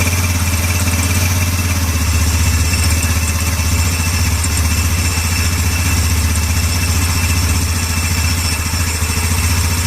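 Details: Yamaha Ego LC scooter idling with the CVT belt removed: a smooth, even idle with a steady low thrum and no rattle or grind. The noise disappears, showing it came from the CVT rather than the engine.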